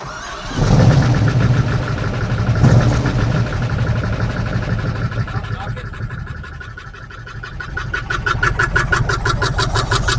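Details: 1968 Camaro 327 V8, newly fitted Muncie 4-speed, first start after install: cranks, catches, then an uneven, lumpy idle; not the usual knock, the distributor cap was on cockeyed, not seated square.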